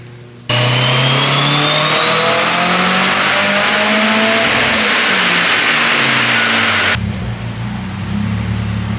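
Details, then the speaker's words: Turbocharged SR20DE on a dyno after tuning, with higher compression, VTC on longer and low boost, about 240 hp against 140 stock: strong, clean rising note through a full-throttle pull with no misses, knocks or stumbles; a healthy engine under load. "Gained a little bit of everything. Oh yeah, it's happy where it's at, dude. Sounds good. That's not bad for how little boost it's running."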